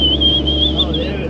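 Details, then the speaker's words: Second-gen Dodge diesel flatbed with manual transmission, floored in third: clear high turbo whistle rising over the diesel drone after lag; normal turbo spool. "You hear it whistling? There's your Turbski kicking in."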